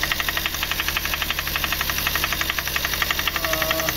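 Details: VW Polo 1.2 with freshly rebuilt engine from another mechanic, idling after timing retightened: sharp, regular ticking knock about four times a second over steady idle; mechanic now suspects the number-one injector nozzle, source unconfirmed.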